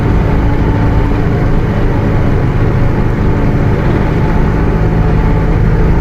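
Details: Bus with Mercedes-Benz OF 1721 BlueTec 5 chassis, Caio Apache Vip IV body, cruising: steady low drone under heavy road rumble with a faint constant whine on top; differential howling.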